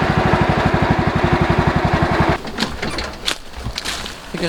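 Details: Cheap MTD lawn tractor during a durability test: the engine chugs with a rough, uneven beat of about four per second, then cuts out. The owner suspects the belt, which kept slipping off and was later replaced.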